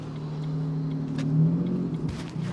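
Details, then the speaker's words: Ford Mondeo ST220 3.0 V6 at 82,000 miles, an abandoned non-runner, newly started: a smooth, even low rumble rising steadily with revs, no knocks or rattles. Normal revving. "back oh that sounds really nice yeah yeah I think you'll be surprised how these get up and go"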